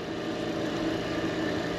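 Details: B&G circulator pump: steady rough hum with gritty hiss and no rhythm; the bearing assembly is worn and noisy after motor mounts and coupler were replaced days earlier, so bearing assembly and impeller are being replaced.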